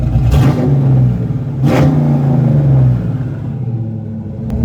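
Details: Ford Fox body petrol engine after replacing fuel injectors to cure a misfire and breaking up on the road: revs up twice and settles, pulling smoothly with a steady even rumble and no stumbles.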